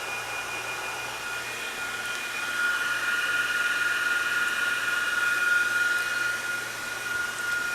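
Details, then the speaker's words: Cooling fan for an e-bike cargo bike hub motor, run from a DC booster at 16 volts: a steady, high, airy rush with a constant whistle, swelling slightly partway through, like a jet engine. The fan runs strong and healthy. "plug it in let you hear it sounds pretty good that's like a jet engine almost"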